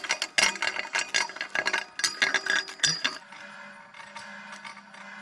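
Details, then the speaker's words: Jeep fuel tank parked at a lunch stop: quick irregular ratcheting clicks in bursts, then a faint hum, like something bobbing inside. The fuel gauge reads empty after starting on a full tank. Cause unknown. "yeah it it does sound a little broken but I don't know maybe I did any well guys out there that can tell us if it's supposed to sound like that it's in here something bobbing up and down in there"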